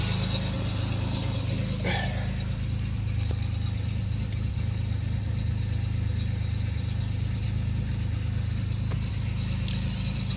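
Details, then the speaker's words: 1989 Chevrolet Celebrity 2.8 V6, 3-speed automatic, 173,000 miles, crankcase vacuum leak capped off (owner suspects lower intake gaskets): steady low hum with light even rattle on top, no stumble or popping as it revs; healthy. "This is the first one I've ever had that's had a vacuum leak like that. And it runs fine."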